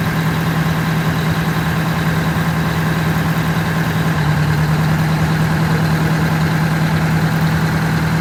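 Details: Detroit Diesel 8V92TA two-stroke in a Wanderlodge after blower oil-leak repair and radiator hose clamp tightened; deep, even drone with steady low hum and no knocks or misses, healthy normal idle.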